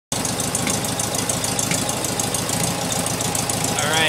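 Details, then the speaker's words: 1972 Beetle air-cooled engine at idle with light, irregular popping misfire; pulling the number two spark plug wire stops the popping and idle smooths without dropping, though that cylinder has plenty of spark. "you can hear the light popping. Misfire. If I go ahead and take off the number two cylinder spark plug wire, popping stops."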